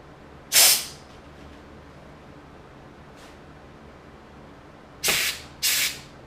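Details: Ford C4 transmission rebuild, bench air check of the forward/direct clutch piston: sharp bursts of compressed air cut off cleanly with no lingering hiss, piston applies and releases properly.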